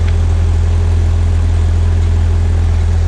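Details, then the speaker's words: 1986 Ford Aerostar, 2.3 L four-cylinder, 5-speed manual, RWD: first cold start after a winter, everything stiff. Deep, even idle rumble with a steady pulse and no stumbles or ticks, idling normally. "Everything feels very cold and very stiff, but she did start right up, which is great."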